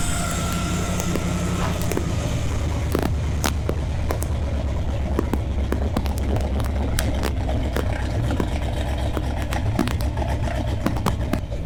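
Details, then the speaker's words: LS V8-swapped Nissan 300ZX drift car after the build. It gives a steady low rumble with an even beat, no stumbling and some surrounding rattles, running way better: normal running. "It's definitely running way better. We'll see if it runs."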